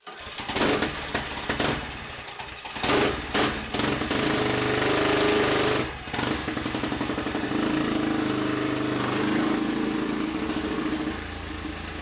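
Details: Freshly built Tillotson 236R two-stroke kart engine, first full-throttle power run on the dyno. A sharp, buzzy note holds steady and pulls cleanly with no misfire or rattle; it sounds healthy, though power came in below expectation.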